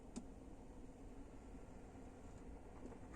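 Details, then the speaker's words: Hyundai Creta heater blend door (white flap in dash) moving at ignition on: soft click then quiet hum, squeak gone after spraying the flap and linkages through the head-unit opening; slight squeak remains. "сейчас он исчез можно было конечно разобрать тут пол машины"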